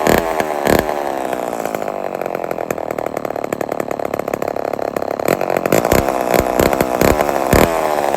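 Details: Old Homelite XL12 chainsaw: uneven two-stroke idle with lumpy, stumbling beats as the chain tries to turn, and the engine bogs when the chain is held. Clutch or its springs are worn, causing the clutch to drag at idle.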